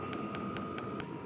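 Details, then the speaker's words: Vevor Chinese diesel heater on level 3 with a hard cover over the fuel pump: sharp metallic ticks four to five a second over steady fan hum; cover ineffective, pump knocking inside it, possibly louder than without. "this thing is just whacking away like crazy this absolutely did not do anything"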